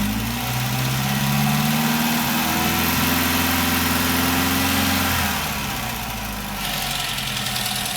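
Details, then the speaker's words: Triumph TR4A with twin HS6 carburetors, balanced and Colortune-tuned to a blue flame throughout: pitch rises smoothly as throttle opens and eases back, even without stumbles or popping; mixture sounds right. "Okay, so I have both the carburetors tuned to where using the color tune, the flame is blue all the way through."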